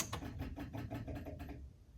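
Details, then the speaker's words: 1975 MGB, first key-on after electronic ignition install and rewiring: quick light ticking, about five a second, fading after a second or so, the fuel pump priming normally before cranking. "okay that was the fuel pump and let's give her a kick"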